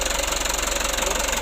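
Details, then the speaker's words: Mitsubishi Canter HD125 PS diesel truck after valve clearance and Bosch pump setting, intake hose refitted: even quick clatter about fourteen pulses a second; idle speed correct, normal idle. "Untuk lansamnya udah pas mas bro, udah mantap lansamnya."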